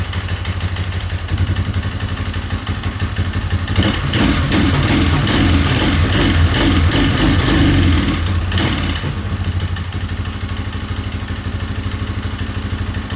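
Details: 2003 Yamaha Wolverine ATV single-cylinder, after rechecking timing: uneven chugging idle that swells into a ragged rev and settles back to a lumpy beat, running rough; owner suspects a carb problem.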